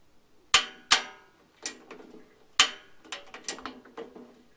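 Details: RV propane setup after Honeywell thermostat and propane quick-connect install; sharp dry clicks about one every two seconds, no burner roar, igniter sparking without lighting, cause suspected not confirmed.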